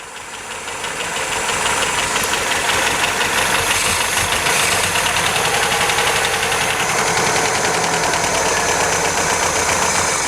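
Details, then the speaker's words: 1977 MGB first start after many years off the road: uneven, lumpy idle with fast clattery tappet ticking about four per second; ignition timing massively over-advanced, tappets need adjusting; oil pressure about 60 psi. "she's tapity rattle we can adjust the tappets and she's running roughly because the timing isn't as it should be of it's massively Advanced"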